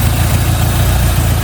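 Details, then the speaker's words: Opel Manta GTE Exclusive, stood for 30 years and running on 30-year-old fuel, after a few minutes of warm-up: steady, even low idle with no misses, ticks or hisses. No air, coolant or fuel leaks found. "been warming up for a few minutes now so far so good no leaks no air leaks no coolant leaks no fuel leaks"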